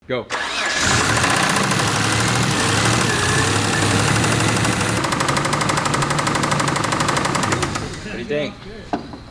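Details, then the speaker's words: 1991 Mitsubishi Montero 3.0 after fuel tank cleaning and new fuel pump, running: deep steady rapid knock about three per second from the bottom end; metal shavings found in oil filter, spun rod bearing suspected, not confirmed. "we got the car started and going on its own and we started hearing a really deep knock so that concerned us"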